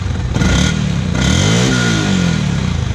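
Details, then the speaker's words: Yamaha WR125R with the stock factory exhaust and catalytic converter, on a cold day before a swap to a Black Widow stainless system: a small single revving and settling with a soft, muffled thump and little bark. Very quiet, normal stock exhaust note. "as you can hear that it's really quiet don't really make much"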